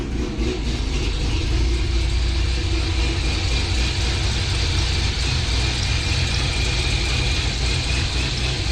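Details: 2006 Corvette Z06 V8, recorded before a new cam is installed: deep, steady burble with an even low thump and no knocks or ticks; healthy warm idle.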